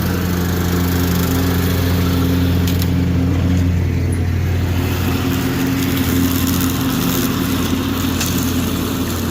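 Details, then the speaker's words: John Deere D120 mower, 3431 hours, after a no-start repair: small engine runs at a steady, even note with no stumbling, surging or knocks; normal running. "sounds good boys"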